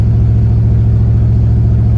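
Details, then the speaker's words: 1993 Ford Mustang GT 5.0L with AOD automatic, RWD, aftermarket exhaust: deep steady engine drone under load in first, smooth with no whine, clunk or slipping; transmission healthy. "this is first I got it locked in but I'm going to shift into drive and you'll see it shift second and third kind of one right after the other"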